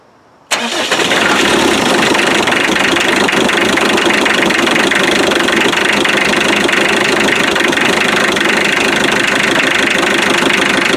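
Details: Land Rover 90 with 2.5 naturally aspirated diesel, injector pump refitted, after tracing intermittent-start wiring: silence then catches at once, settling into steady even clatter with no misses; starts normally, though charge light stays on.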